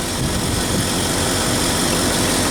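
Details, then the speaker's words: 1969 Ford F-250 V8 after replacing the PCV valve to fix a vacuum leak: low, steady slow idle with no stumble, miss or hissing; smooth, even idle. "take 20 or 40 RPM feeling pretty steady guys I'm loving it"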